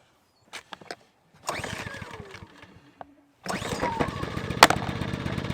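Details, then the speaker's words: ECHO EGi 2300 inverter generator, first start after draining and refilling the oil (oil suspected of preventing starting): pulls a few times, catches, settles into quiet steady hum without knocks or misses; very quiet, running normally. "I'm telling you that's not bad guys so yeah guys that's not loud at all I mean that's very quiet for a generator"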